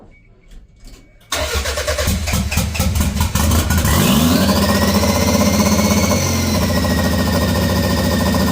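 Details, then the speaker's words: Toyota MR2 with 3S-GTE engine, started after chasing odd sensor codes: starter cranks briefly, engine catches, revs up and settles into a steady, even idle; starts and runs normally. "so glad it it started I am so glad that it started um this is great"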